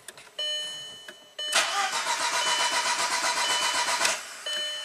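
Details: 2003 VW Passat 1.8 L turbo, 150k miles, sat for a while, code P0341 cam position range/performance, often needs 5-10 crank attempts: starter whirs about two and a half seconds before catching; long crank, hard starting, cause unclear.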